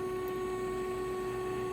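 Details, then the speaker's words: Samsung DW80M2020US dishwasher after water inlet valve (DD81-02265A) replacement, empty normal cycle startup: steady even mid-pitched pump hum, no grinding; impeller pumping water out, normal drain pump operation. "well i hear water draining out it's making a funny sound that's just the impeller pumping water out of it"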